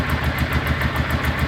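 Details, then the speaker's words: Honda Ascot motorcycle after sitting a week, started first crank: even low putter around eight to nine beats a second, steady, no misses or knocks, little or no exhaust smoke; clean healthy idle. "this is idling like it's a new bike the bike started right up on first crank and this is after it sat for about a whole week of me not working and it's not smoking at all out of the exhaust"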